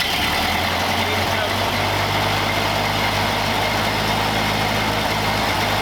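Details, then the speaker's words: 1931 Ford Model A four-cylinder, fuel tank sludged from storage: steady low idle under background hiss, running evenly, after the air-bound fuel line from the bowl to the carburettor was bled; warmed up and running normally. "got it pretty warmed up it's ID good sounds like"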